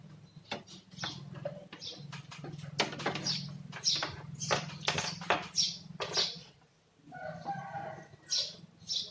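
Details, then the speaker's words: Polytron Slim One CRT TV, powered on, with a hissing noise inside: irregular sharp snaps and crackles over a low hum as high voltage arcs around the flyback rubber, which risks killing power supply components. "kita tes ya ntar aku hanya belum diizinkan seperti itu ada percikkan api di sekeliling karet flyback Oh ya ini jelas berbahaya"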